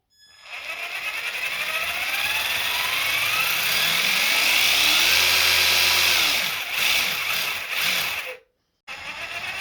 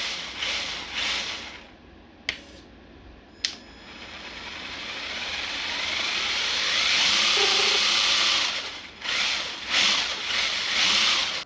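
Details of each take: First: Traxxas TRX-4 Ford Bronco RC crawler, before maintenance of motor, gears, portal axles and diffs: high electric whine rising and falling with motor speed plus gritty gear rattle; rough noisy drivetrain, cause not confirmed. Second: Traxxas TRX-4 Ford Bronco RC crawler after maintenance of motor, gears, portal axles and diffs: light, even gear whir climbs in pitch as it speeds up, then settles; no clicking or grinding, drivetrain sounds healthy.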